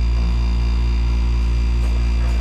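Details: New Hoshizaki IM-500SAB ice maker that came from the factory with zero refrigerant and alarmed after the compressor ran 45 minutes, after repair, switched to ice: steady low hum with an even buzz and no clatter or stalling; the compressor starts and runs normally.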